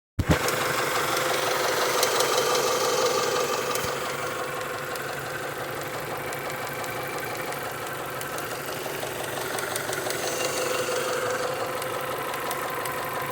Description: 1996 Honda prelude si 2.3l dohv h23a1 top end ticking sound